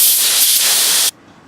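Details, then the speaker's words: Master Airbrush TC-40T compressor with regulator backed off to 35 psi, feeding a Paasche airbrush: steady even hiss of air for about a second, then a clean shut-off; normal air flow. "Okay, so now we have it set at 35. We backed off that regulator, and let's see what that's like."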